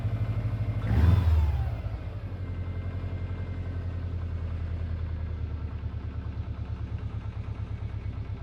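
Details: Subaru Impreza WRX GC8, EJ20G turbo engine: after a short rev blip, a sharp regular knock at idle about three per second over the exhaust burble, present for three years; others say forged pistons, owner suspects a connecting rod. Unconfirmed.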